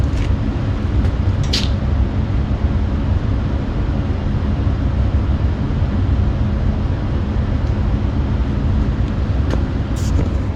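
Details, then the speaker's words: Carrier 58 Series furnace, ECM blower motor replacement, cold weather: steady low airflow roar with faint constant hum, no cycling; blower running at high, air-conditioning-like speed, tech suspects air left on. "blower motors are on it maybe I left the air on because that sounds like air conditioning speed"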